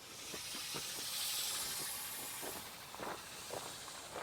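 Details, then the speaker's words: Kioti CK2610 tractor rear tire jacked up during liquid ballast fill: steady loud hiss with a few soft spurts as air is bled from the valve to allow more fluid in. "I'm bleeding the air now out so I can put more fluid in. Hope you can hear it."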